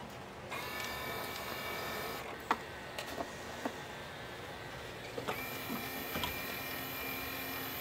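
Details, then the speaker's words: RCA PR8070D 5-disc CD changer, broken and non-working, after loosening the tray: small motor whirs in two short runs with light plastic clicks, reaching disc position one but the tray stops short of full extension. "okay that it did it went to number one ah it's where it should push it all the way out"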